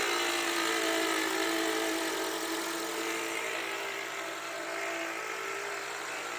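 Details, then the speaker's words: Toyota Voxy 2020–2022, 3R 2.0 engine, over 100,000 km, at idle, microphone held close: loud hissing rattle with steady beat about four per second, located by stethoscope at the alternator; failing alternator decoupler pulley. "isso porque ó o barulho tá bem alto a gente escuta bem nítido né não sei se dá para perceber pelo pelo microfone tá ó qual que era o problema desse carro aqui que a gente pegando estetoscópio e vendo da onde estava vindo o barulho vem do alternador tá"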